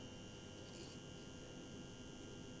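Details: PIKO BR62 model locomotive motor-gearbox unit run at medium speed on the transformer: steady high whirr and whine, louder than it should be, over mains hum; lack of lubrication suspected.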